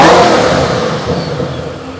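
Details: Supercharged Ford GT, free-revved: strong rev that falls away cleanly with a thin supercharger whine on top. No engine lights, pulls evenly and sounds healthy.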